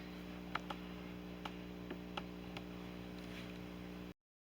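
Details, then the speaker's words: Late grandmother's Dressmaker sewing machine taking its first stitches: light irregular ticks and clicks over the steady motor hum while sewing; stitches look fine, cause of the weird noise unknown. "And the stitches look beautiful, it just makes a weird noise. If you have any idea what might cause that noise, please let me know in the comments."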